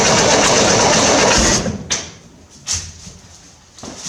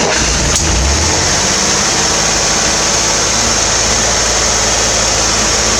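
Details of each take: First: 1968 Corvair after installing a mechanical fuel pump, with a little more gas primed: catches and runs briefly, then cuts out with a few weak coughs once the fuel is used up; fuel starvation, a leaking fuel line found. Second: 1968 Corvair after installing a mechanical fuel pump: fires up and holds a steady, rather fast idle on its own fuel supply with a busy fan-like rush; runs cleanly, though it idles high as it always has.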